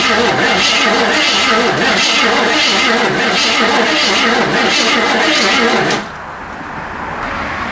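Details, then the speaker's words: 1979 AMC Spirit AMX sitting for years, fuel poured into the intake: starter cranks slowly and evenly for six seconds without catching; no spark despite power to the coil, slow cranking suspected from bearing issues. "Let's crank it over, see if it spins with the starter or not. Cranks. Doesn't crank well."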